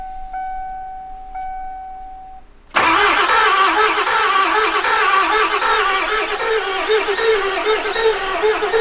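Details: 7.3 Powerstroke turbo diesel 4x4 Ford E350 van, long sitting, died while driving; dash chime then steady rapid cranking about three beats a second that never fires; low compression or IPR fault suspected, not confirmed.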